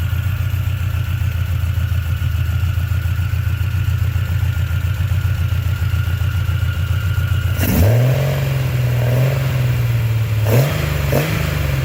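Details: 1976 Triumph TR6 six-cylinder just rebuilt, new triple Weber carbs on a TWM intake manifold: runs steady but a little lumpy, pitch shifting around eight seconds; it runs, but carbs still need major tuning.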